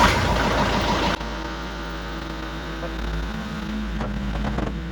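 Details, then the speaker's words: Kubota diesel with failing battery, jump-started from a jump pack after nights in the low 20s, still showing a code; heavy cranking churn about a second, then catches and settles into steady even idle, normal start and idle. "Yeah, it already sounds different, and still getting the code, but let's see if it starts."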